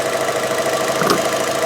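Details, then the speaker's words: 2013 Fiat 500 Pop petrol, possibly unserviced for 10 years, just serviced with new spark plugs, oil and filter; started beautifully and idles smoothly and evenly with a steady hum, no knocks or misses, while running up to temperature. "So started up beautifully. It's running as smooth as anything, as you can hear."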